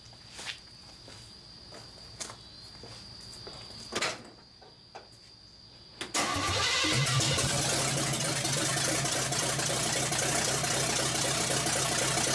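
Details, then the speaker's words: Chevrolet engine with wrong plug wires and a spring-rigged partial choke catches after clicks and runs loud and ragged; owner suspects the timing is way too low and tries advancing the distributor, but a plug wire limits it. "Tim is way way too low so what we're going to have to do and see if we can advance it any further with the distributor"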